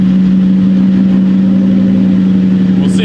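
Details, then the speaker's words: 1999–2004 New Edge Mustang after over-rev misfire fixed by reseating a popped-off rocker and fitting a new valve cover gasket, first startup: loud, steady idle with a slightly uneven, lumpy beat; owner first suspects a remaining miss, later blames a vacuum leak. "So it sounds like there might still be a miss. Just maybe. I'm gonna try to take it out and we'll see. We'll see how she does. She is fixed, guys. So the only problem, we now have a vacuum leak. That's why the idle's rough"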